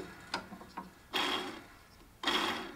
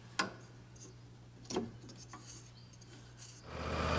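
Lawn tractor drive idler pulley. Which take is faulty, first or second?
first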